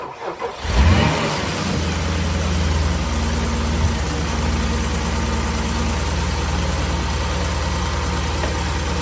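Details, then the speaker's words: Porsche Cayenne after belt tensioner replacement and retightening loose water pump pulley bolts: cranks, catches within a second and settles to steady, even idle with no squeak or chirp; previous auxiliary belt screech gone. "sounds good. Well, hopefully you can hear that. No noise."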